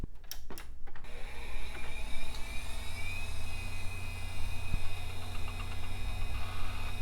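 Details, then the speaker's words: HP Vectra VL Pentium II, after cleaning and repair, first power-on: low steady hum with a smooth tone rising and settling over a few seconds, a quiet hard drive spin-up with no clicking; normal, system posts and boots Windows 98. "Well, the hard drive sounds happy enough. And we are posting!"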